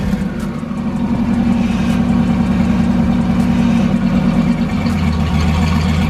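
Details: Turbo Foxbody Mustang after new piping and an EGR block-off plate: engine revs cleanly and settles to a steady idle, turbo spool audible, no misses; normal running.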